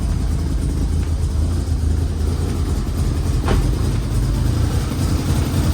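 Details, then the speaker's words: Mitsubishi Evo 8 after long storage, oil changed, started cold: low rumble that stumbles and breaks up instead of settling into a smooth idle; rough cold start. "Fired right up. Sounds like shit, breaking up."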